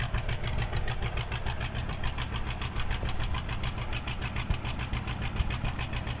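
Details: KAMAZ truck diesel engine, first start after a major overhaul: even, regular chug at about seven beats a second with steady loudness and no knocks; healthy idle.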